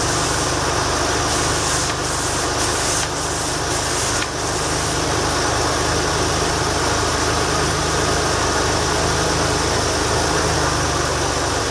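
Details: 1989 Lincoln Town Car V8 on freezing cold start: fast steady idle with faint uneven puffing tick over the exhaust note; exhaust leak.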